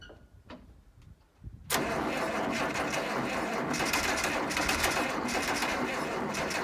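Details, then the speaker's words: 1972 Massey Ferguson 1100 94 hp diesel tractor, abandoned and sitting long, started with starting fluid: a few quiet cranks, then catches with a sudden loud snort and settles into a fast, steady clatter; engine starts. "Well, there you have it. She's running."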